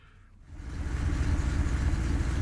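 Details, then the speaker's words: Triumph Stag 3.0 V8 after replacing the failed viscous fan coupling (Torquatrol unit) and refilling the coolant: steady, even low rumble at idle, fan spinning without catching, not yet at temperature. Normal idle. "and as you probably hear we've um got the engine underway i've refilled with water and the anti-freeze um and the fan is spinning not catching on anything no noise seems to be okay"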